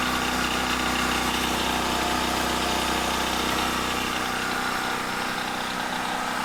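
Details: Gasoline generator converted to tri-fuel kit, running on propane after a one-second purge and pull start: steady, even engine drone with no misses, surges or knocks; starting and idling cleanly.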